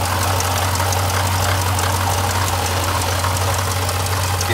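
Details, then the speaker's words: 2015 Jeep Grand Cherokee SRT at low idle with a fine gritty ball-bearing-type rattle from the water pump as it fails. Earlier signs were coolant smell and temperatures spiking to 21–22. "all right you guys want to see what a water pump looks like when it goes bad you can hear it and you can see it right there"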